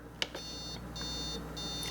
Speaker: it's beeping and flashing that it will not do it's not going to come on when you have it on travel mug